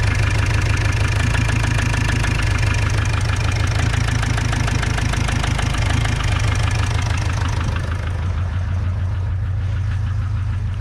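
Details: Opel Vivaro / Renault Trafic 2.0 CDTI diesel at idle: steady knock about three per second, louder than injector clatter, unchanged after swapping injectors 3 and 4; engine to be opened.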